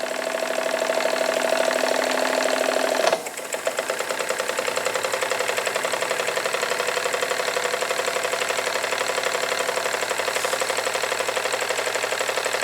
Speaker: she is running in both directions that is very good to see safety valve is lifting a little bit